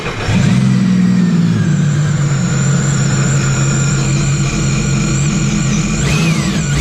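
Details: Sea-Doo RXP-X 300 supercharged engine at first service with fresh Stage 1 reflash and impeller (stage 1 plus), revved: picks up cleanly with strong even growl and supercharger whine rising with revs; sounds healthy.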